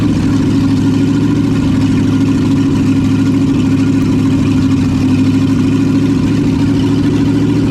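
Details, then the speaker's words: 1972 Chevy K20 4x4, first start after sitting 15 years, new manifolds, no exhaust pipe fitted: steady, even V8 idle with smooth low rumble, no knocks, misses or ticks, some oil burning off the manifolds; normal idle. "yeah sounds good could use a little bit of a exhaust pipe though"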